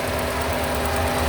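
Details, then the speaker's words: 1985 Chevrolet Corvette C4 after fixing a crank-no-start from no power to the fuel pump: now running, even settled idle with steady low rumble, no knocks or misses; radiator fan noise also on the microphone; normal idle. "Well, the fuel pump is working now because she's running. What you're probably hearing on the microphone is that the fan pushing in front of the radiator. I hope you can hear the engine good here. Idling very nice."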